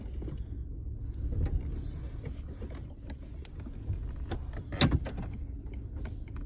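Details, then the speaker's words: 2005 Chevy Colorado 3.5 with 330,000 miles, P0300 and over 16,000 misfire counts, cylinder 3 worst; engine held under load gives a low, uneven rumble with irregular thumps. "one two yep number three looks pretty terrible you're gonna have to get out under the hood here do a little bit of checking"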